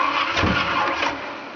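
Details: 1988 Ford Thunderbird 5.0 V8 conversion, first start attempt with fuel pump on and some throttle: short cranking burst with a rough pop that dies without catching; cranks but won't start, cause unknown.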